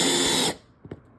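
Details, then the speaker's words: Good T25 driver bit driving a screw after a worn bit skipped; a steady, even motor whine for half a second, then stop with no ratcheting or skipping, the bit drives cleanly without cam-out. "So, the bad bit, when your bit starts skipping like it did with this screw here, you know it's time to replace it."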